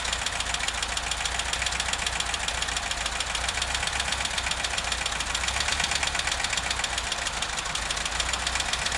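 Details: VW Vanagon T3 engine at idle, strange smoke when cold: fast even ticking rattle at constant pace over steady idle; knocking/ticking of unknown cause.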